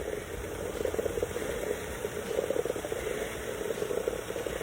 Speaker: Some nice new power steering fluid, just with a huge air leak somewhere in the lines.